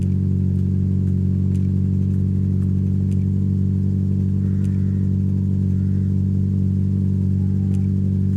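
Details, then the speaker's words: Mazda MX5 after fitting new HT leads: low, heavy idle with an uneven, shaking pulse and steady stumble; still misfiring and shaking, slightly better from the rear and starting quicker; plugs, intake manifold gasket or injectors also suspected. "sounds like [ __ ] right so the engine is still shaking like hell it does sound slightly better from the rear"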